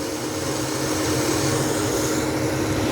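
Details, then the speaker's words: Small VSD booster pump with small built-in pressure tank, set to 3 bar at high flow near 2,500 L/h, drawing 650 W: even motor hum with a higher, steady whine as it works harder; normal motor pitch rise, no fault. "You can definitely hear the pitch of the motor. It's drawing a little bit more. And we're at 650 W."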